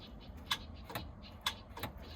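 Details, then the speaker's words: OMC 5.8L 400 HP marine engine with a new starter: sharp single clicks about once a second with no cranking behind them, the starter clicking but not turning over; solenoid suspected, to be checked by applying power to the starter directly. "So, the starter's clicking,"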